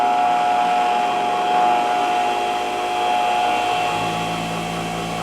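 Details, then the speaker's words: Delta 6-inch variable-speed bench grinder, new out of the box: steady even whine with a faint hum underneath, no knocking or grinding. It is nice and quiet with slight vibration, running at full speed after the lowest setting; normal running. "Okay, sounds good. Nice and quiet. Got a little bit of vibration I'm hearing."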